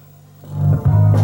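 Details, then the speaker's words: Sony TC-FX77 cassette deck playing back its own type II tape recording, no Dolby: dull, boomy, muffled sound with highs gone; dirty playback head suspected, not confirmed. "oh doesn't sound very good does [Music] it that sounds kind of a bit muffled I wonder why I wonder we had a dirty head"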